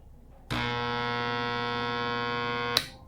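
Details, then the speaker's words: Electric fan with a loose, worn shaft, first speed selected: steady mains-pitch hum for about two seconds with no blade spin-up; the motor hums but won't start. "In fact at the beginning of the video we gave it the first speed and there was a tremendous noise"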